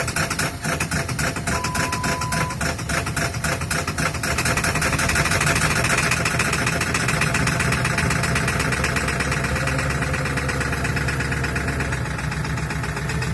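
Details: 7.3 Powerstroke diesel at -35°C, third start attempt after 2+ minutes of glow plugs and an overnight block heater, lumps along unevenly with ragged clattering knocks that never settle; owner has narrowed it to bad injectors.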